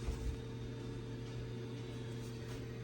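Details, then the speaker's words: Rinnai gas boiler after part replacement for error 101 overheat (thought airbound), CO below 50, water up to about 130 degrees: low steady hum with constant tone, no surging or clicks; firing normally, though heating seems slow. "So far we have come up to 130 or so degrees. It does seem to run very slow, but"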